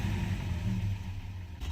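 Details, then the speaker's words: Mercedes 190E 2.0 converted to natural gas, running on gas: low, uneven idle that sags and wavers, worse than usual; owner adjusts the gas reducer idle screw to fix it. "doesn't want to idle either this is worse than usual"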